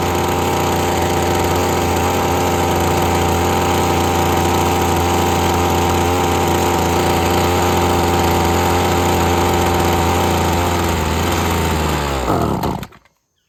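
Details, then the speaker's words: Husqvarna string trimmer that sucked up dirt: steady two-stroke drone sags and dies once throttle drops past half; carburetor problem suspected. "As soon as I let off of it past half throttle, it starts to want to die off. So I think we're going to have some carb issues no matter what."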